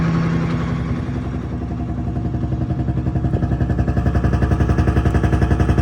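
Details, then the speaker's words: FV432 APC running for the first time in 13 years, charging with RPM gauge working: lumpy, uneven diesel beat pulsing about four times a second, doesn't sound right; rough running from an injection pump element out of timing. "Doesn't sound quite right to me. That could just be being weird, but I don't think that's running quite properly."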